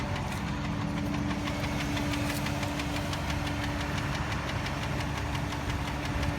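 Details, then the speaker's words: 2005/2006 Dodge Durango 4WD, 4.7 L V8, 154,000 miles, at idle: a sharp, even tick about four times a second from the engine, barely audible. The source is unknown; the mechanic says it may be drivable for a long time. "you could barely hear it there there is some type of tick I don't know what it is"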